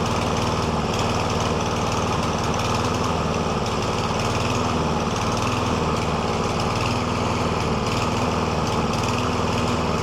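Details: Lawn mower previously surging, hunting and stalling, after STABIL Fast Fix and STABIL Start Your Engines fuel additive treatment without carburetor work: steady, even engine note at constant speed, no hunting or surging over ten seconds; runs great again.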